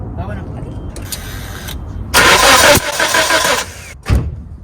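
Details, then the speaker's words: 1997 Nissan Sentra engine cranks in short bursts but won't start; spark tested, spark not reaching plugs through poorly made aftermarket ignition wires; new better wires recommended. Crank no start, weak spark. "Yep. It looks to me like this spark is not making it all the way to the plug. So I think I'm just gonna recommend a new set of wires."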